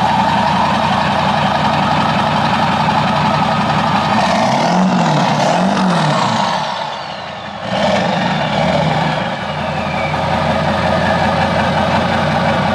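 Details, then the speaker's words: Ford 7.3 Powerstroke diesel truck idles after a 5k-mile service (fuel filters and oil change) and fuel system priming. Deep, even clatter with a brief rev and settle midway, no misses or odd noises. Sounds good, no leaks, engine healthy. "sounds good brother yep no leaks"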